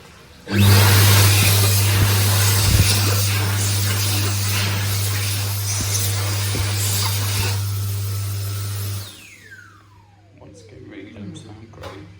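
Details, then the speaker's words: Dyson 9kJ hand dryer at a motorway service site after at most 2 years in service. A loud heavy droning hum with a strong low growl for about eight seconds, then it winds down. Worn, noisy motor, cause unconfirmed. "and now this is how a large proportion of the 9k JS across welcome brake site sound after a maximum of 2 years in"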